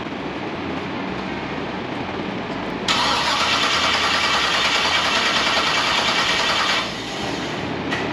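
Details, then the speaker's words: 1957 Chevy, first start attempt after a part was replaced: starter whirs steadily about four seconds but the engine never catches; cranks without starting, suspected distributor, cap or coil, unconfirmed. "maybe not fire that is the craziest thing it's got to be something with the whole distributor right"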